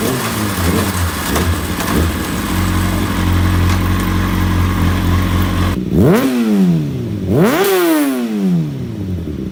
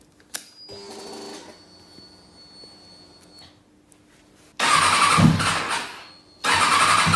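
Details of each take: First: 2005 Kawasaki ZX-6R four-cylinder after fixing a dead cylinder, not fully warmed up: smooth even idle then two clean sharp blips rising and falling freely; all four cylinders firing, normal revving. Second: 2005 Kawasaki ZX-6R four-cylinder, lost power and sounded like a triple on track: starts after a pause and runs only in short, ragged, uneven bursts; one cylinder not firing, its header pipe stays cold while the others warm; misfire, one cylinder dead.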